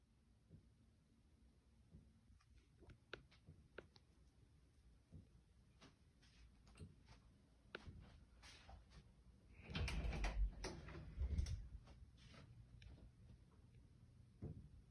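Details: Top-floor (10th) corner condo built in 2020 in Montreal, recorded at 7 am, December 12, 2022: scattered dull thumps and knocks from the ceiling at varying locations, with one louder cluster. Boilers and AC are not above this unit; source unknown.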